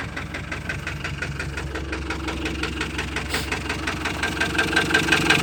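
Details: Ford Transit 2.4 diesel that knocks, misfires and stalls: regular sharp knocking near three beats a second over a lumpy, uneven idle; cause not pinned down.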